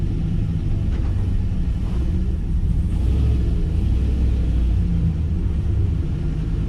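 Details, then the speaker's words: Turbocharged LS-swapped 600 HP Chevy C10 with a newly installed muffler: deep, even, muffled V8 rumble with no rasp or leak. Normal exhaust note, definitely quieter than before. "Wow, it's definitely quieter."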